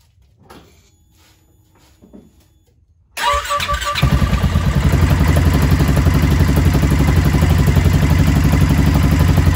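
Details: Polaris Ranger RZR Ace 570 (ProStar engine) after installing Hot Cams upgraded timing chain tensioner: cranks briefly, fires and settles into even steady idle about three beats per second, no chain rattle or ticking; normal.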